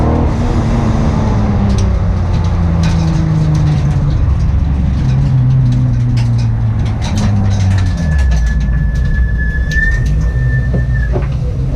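Engine revving up and down with a rough, stumbling beat instead of a smooth rise; it's misfiring under throttle, cause unknown.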